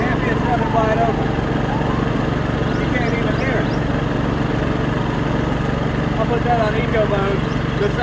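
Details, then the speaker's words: Champion 2000W inverter generator (1700 running watts), new, in eco mode at light/no load: smooth steady low hum at constant speed, no surging, rattles or misses; normal running. "the champions in eco mode now just list for quiet loads off"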